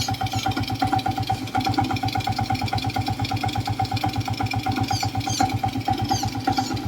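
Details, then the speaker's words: Old Suzuki Smash motorcycle idling with a rough "klok-klok" knock about twice a second that speeds up and slows down with engine rpm. "Dan suara ini mengikuti RPM, bro. Saat RPM tinggi, suara "klok-klok" menjadi lebih cepat, dan sebaliknya, bro. Jadi, suara kasar tersebut mengikuti putaran mesin (RPM)."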